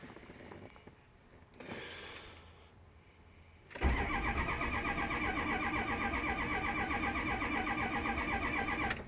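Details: 6.0 engine: after a quiet few seconds the starter turns the engine over steadily at about four beats a second, but it never catches: crank, no start.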